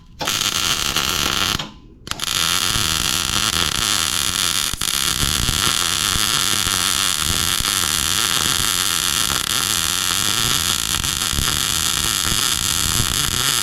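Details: Welding repair of a broken brush hog for a Massey Ferguson 40, after the welder was switched on: loud, even frying-bacon crackle holding unbroken over ten seconds; steady welding arc.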